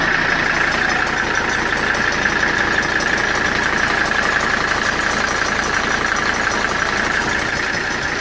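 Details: Mercedes W123 at idle: steady hiss-like rattle with a faint regular tick about three per second; owner says it is a bad fan clutch, not engine knock.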